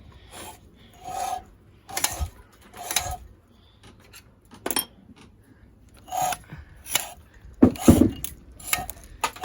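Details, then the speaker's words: Honda 5.5 hp small engine found full of water with two bent pushrods and a mud dauber's nest inside: irregular rasping scrapes with each slow turn, quiet gaps between; an internal part hitting the side cover. "I'm pretty sure that sound is this, because I'm pretty sure it's just hitting on this cover here. Yeah, it's definitely just hitting on that cover."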